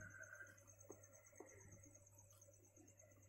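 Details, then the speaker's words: Refrigerator compressor, plugged in: only a low steady mains hum under night crickets, no suction or discharge; it is energised but not turning and the overload was heard clicking. Suspected blockage, possibly seized. "Oke teman-teman, hanya terdengar dengungnya saja, tidak ada proses pengisapan di sini sekaligus proses keluarnya udara di sini."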